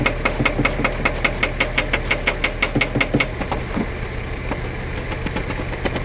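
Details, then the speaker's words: 1978 Datsun 280Z, first start attempt in 30 years; uneven cranking about three pulses a second, weakening and fading after the starter was seen smoking; starter motor judged dead and to be replaced. "So, starter is toast. We can't get anything more out of it. So, we're gonna have to order one before we try cranking anymore."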